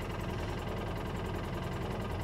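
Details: 2013 Polaris Ranger with low power, check engine light on and engine code 651: uneven, stumbling idle with a skipping exhaust beat; one cylinder misfiring from a broken injector wire connection.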